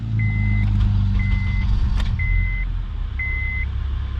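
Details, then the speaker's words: 2004/2005 Honda Accord 2.4L, freshly swapped replacement engine with new oil and coolant, started on a jump box: quick catch into smooth, even idle under a steady beeping chime, no knocks or misses; maintenance light only, no check engine light. "Wow, and she fired right up. Check that out. She's running smooth."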